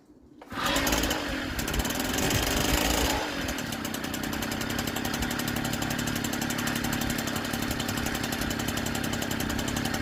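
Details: 1964 NSU Quickly S23 three-speed two-stroke moped, first start after engine rebuild on premix fuel, some smoke expected: brisk buzzy beat that catches and settles into a steady even run; healthy.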